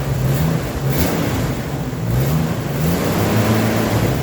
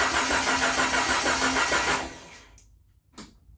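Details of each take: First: Jeep YJ Wrangler first run after four years: loud revving rising and falling with throttle, rough and clattery underneath; owner attributes clatter to past rev-limiter abuse and overheating, unconfirmed, plans an oil additive; throttle briefly stuck. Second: Jeep YJ Wrangler after four years sitting, mid-restoration with no distributor installed: starter cranks quickly and evenly, about three turns a second for two seconds; normal cranking.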